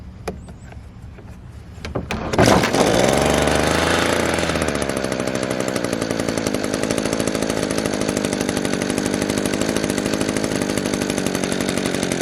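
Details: Echo PB-200 two-stroke leaf blower, roadside find, after carburetor work and priming: a few pulls, catches, revs up and settles into steady even buzz with no misses or surging; cheap, easy fix, now runs well.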